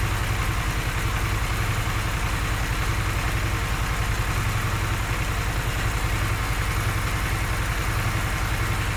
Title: Harley Sportster S Problem (5mo old), Ticking/Knocking Sound when in Idle for awhile. :-(